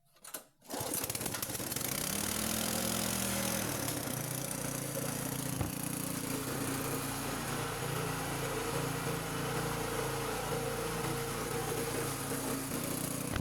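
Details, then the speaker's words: Petrol generator after an engine overhaul; with choke pulled back, throttle raised and petrol on, it fires on the first pull within a second and settles into a steady, even run with no stumbling or dying. Normal running. "तो ये आपने देखा बिल्कुल first kick के अंदर start हो गया है।"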